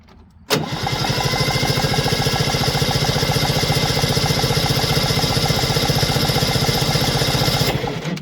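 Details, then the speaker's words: 1973 Ski-Doo 399 twin snowmobile engine from a barn, freed with lubricant before checking spark: even rapid gallop with no binding or scraping as it is pulled over; engine turns over freely. "all right let's see if she rolls yeah she got a nice little Gallop to her don't she let's try that again"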